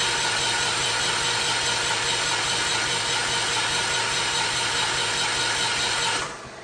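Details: MEP802A generator cranks fast and steadily with no firing or catch, winding down at the end; cranks but won't start though fuel reaches the injection pump's high-pressure output.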